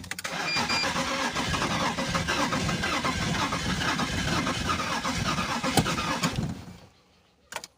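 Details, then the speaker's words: BMW Z3 engine that had sat for a while, cranking after the fuel pump was primed several times. The starter cranks steadily for about six seconds but it never catches; it cranks but won't start. "it doesn't for one so I'm try again refuse I'll try again"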